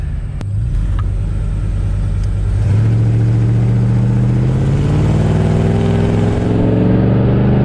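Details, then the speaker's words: RV after a new fuel pump fixed a no-power problem and a new exhaust, accelerating to 45 mph. Deep throaty exhaust rumble climbs smoothly with speed, no misses, knocks or rattles; runs much better, strong power. "well and uh that was just getting up to 45. this thing sounds so much better it runs a lot better now"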